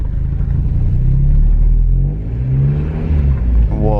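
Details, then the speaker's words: 1991 Mazda Miata, cold, with broken alternator tensioner bracket suspected: revs swell and sag unevenly instead of settling; erratic hunting idle, cold may contribute, cause not confirmed. "all right all right chill there definitely revving a little weird it's a little cold right now obviously so it's gonna act a little weird naturally"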